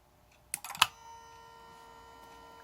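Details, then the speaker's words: Mercedes S320 repaired throttle actuator, linkage greased and moving freely, powered on: sharp clicks as plate moves, then faint steady electrical buzz holding position; normal. "and now we have our buzzing noise"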